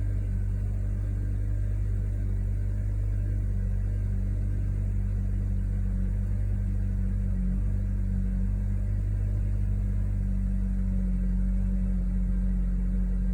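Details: 2012 Honda Accord 4-cylinder automatic on a cold start: a smooth, deep, steady hum with none of the usual grinding this time. Normal cold-start idle.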